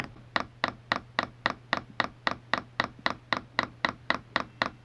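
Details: Chinese all-in-one diesel heater, replacement "quiet" fuel pump in prime mode, tested outside its plastic dampening case and not mounted on the frame: crisp, even clicks about four a second, normal dosing pump clicking, just loud uncased.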